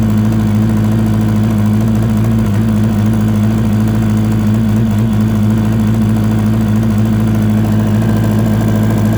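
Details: 2004 Yamaha R1 track-day bike at idle with a new strange noise from the left side of the engine: uneven beat about three per second under the hum; no smoke or power loss; owner asks if spun bearing or valves.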